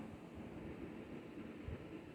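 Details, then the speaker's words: Panasonic RG-C811A bath fan (80/110 CFM, 0.3/0.5 sone) on its high speed in a temporary mockup; soft, steady airy hum with low rumble, free of rattles or ticks, taking a couple of seconds to come up to speed, running normally. "I plugged it in takes a second for it to come up to speed couple seconds"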